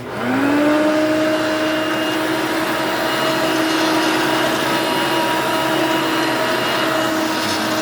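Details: Hoover Elite Mach 6.0 350 vacuum, running after a lengthy repair: the motor spins up fast to a steady, fairly soft whine with no rattle or flutter, and the vacuum runs healthy.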